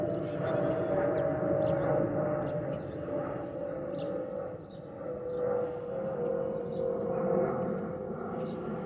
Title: 💛🖤💛Spirit Airlines Airbus A319-132 N510NK NK1709 MCO-DTW (FOPP whistling sound)💛🖤💛